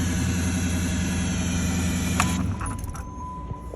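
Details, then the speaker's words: 2009 Dodge Charger/Challenger, sat 8 years, after fixing a crank-no-start (fuel pump, relays, MAF, injectors): steady, even low idle with a smooth regular pulse, no misses or knocks, quieter toward the end; runs well, only an ABS code remains. "it runs like a champ."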